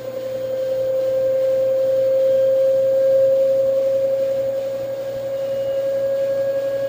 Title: LG washer , new weird noise on spin